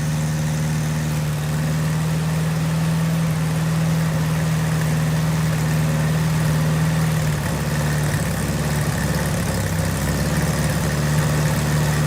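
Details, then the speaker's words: Volkswagen Beetle, first start with a dry fuel tank, run on spray starter fluid only. The engine catches and holds an even low drone for about seven seconds, then sags and stumbles as the fluid runs out. No fuel supply. "Alright guys, so pretty much as you kind of saw, I got it started. Pretty happy about that."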